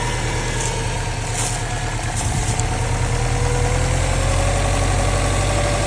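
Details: Subaru STI boxer engine cold start at idle: low rumble with a light, somewhat uneven knock about three times a second; engine knock, cause unknown.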